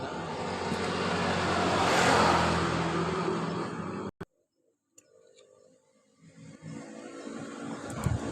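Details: Yamaha Mio Sporty scooter that sputtered then died completely, carburetor being cleaned: engine roars up under throttle for a few seconds then cuts dead; dying on throttle blamed on too-small or clogged main jet passages.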